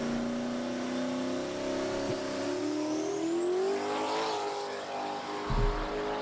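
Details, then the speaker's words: Drag car launch on two-step, released early at the target rpm to avoid blowing the tires off. Engine note climbs steadily, then a single sharp two-step pop instead of a rapid crackle; boost didn't build as it was supposed to. "You can hear like one two-step pop because I was like, maybe if I hold it on the two-step, it's gonna blow the tires off. We won't get any data from it at all. So I let it get up to the RPM that I wanted, but it didn't build the boost that it was supposed to build."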